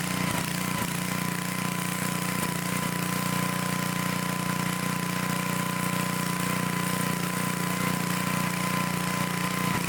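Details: Old Dayton generator unused for 30 years, after repair and starter clutch work, reassembled: steady, even drone at constant speed with a firm low hum, no hunting or misses; running smoothly.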